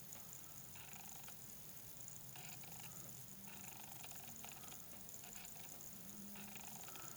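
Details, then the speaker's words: Obsbot Tail Air PTZ streaming camera recorded on its built-in mic about a foot away: faint high whirring bursts come and go in a quiet room as the lens hunts focus; audibly noisy autofocus motor. "And what I wanted to show you is that the autofocus is quite noisy. So let's see if we can replicate that."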